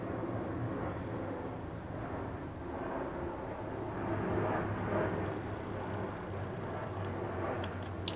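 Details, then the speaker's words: McCulloch Pro Mac 55 chainsaw test run after fuel tank gasket, Walbro SDC-58A carb rebuild, fuel hose and fuel cap vent repair: pitch and loudness wander up and down; unstable running, leaking seal suspected, vapors and carb perking noted. "I think we got a leaking seal somewhere in here. This is changing changing tune way too much. Way way way too much."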